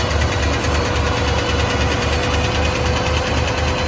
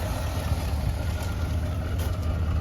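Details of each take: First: Boat-tail Buick Riviera V8 just started, with pink valve covers; a steady idle with a light quick tick keeping pace with engine speed. The owner suspects a loose lifter, unconfirmed, and plans to check the oil. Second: Boat-tail Buick Riviera, just refilled with oil, power steering and transmission fluid: low, even V8 rumble with a steady beat and no knocks, ticks or misses; steering feels easy; normal idle.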